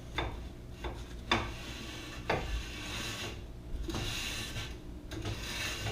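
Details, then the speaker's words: Jeep JK driver-side rear wheel turned by hand after adjusting the parking brake through the rubber plug: a light, even scraping drag all the way around, showing the parking brake shoes are lightly contacting and correctly adjusted. "okay now we can hear that resistance it's pretty even all the way around which means those parking brake shoes are slightly making contact which is good"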